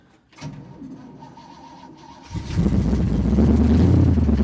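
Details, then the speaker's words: Cold start after the engine sat about three and a half weeks with a suspected serious engine problem: it fires after a short crank and idles with a fast, even metallic rattle, still present, cause unknown. "going to be a cold start. I want to see if the rattle's worse or it may have went away, but I kind of doubt it. I want y'all to hear the rattle."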